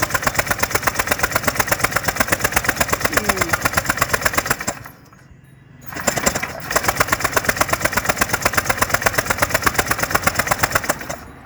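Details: Honda PCX150i scooter that won't start after sitting a long time, battery now charged. Fast, even cranking chug at about three per second, pausing and resuming, never catching. The plug shows spark; the cause is not yet found.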